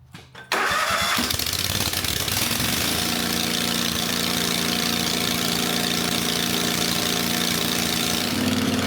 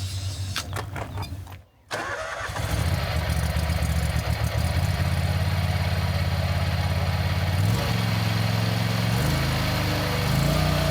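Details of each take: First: Country Clipper Boss SR1200 zero-turn mower engine, freshly refilled with oil, coolant and gas, muffler removed to check for coolant leaking into the system: catches after a short crank, runs loud and uneven, beat never settling; rough running, cause unconfirmed. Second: Country Clipper Boss SR1200 zero-turn mower at full throttle (needed to engage the belt): engine catches after a short pause and settles into a steady, even beat with no knocks or misses. Runs healthy.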